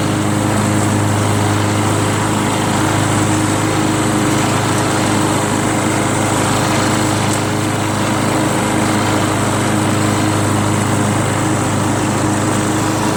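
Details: Free curb-pick John Deere JS63 mower, run to burn the tank dry for storage (about 25 minutes): constant even hum with no stumbling, rattles or hunting; healthy steady normal running.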